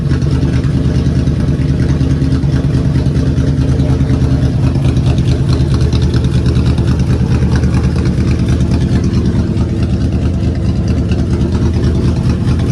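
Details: 2003 Ford Police Interceptor V8 at cold idle on a low battery, right after the Cal-Van insert kit repair: a steady, even rumble with no stumbles. The earlier misfire is gone.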